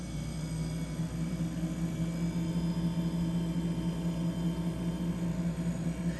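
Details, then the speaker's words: Roadside-found beverage/wine refrigerator after replacing bad compressor start relay; before, compressor started for a second then shut off; now steady low hum with no clicking or cutting out — compressor running normally. "it's that standard refrigerator 's fan was working before but it's that refrigerated humming that that working before"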